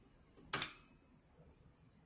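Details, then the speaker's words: Relay switching a 220 V light bulb through its normally open contact: single crisp, clean click as contacts pull in; normal relay operation. "so you can hear also the clicking of the."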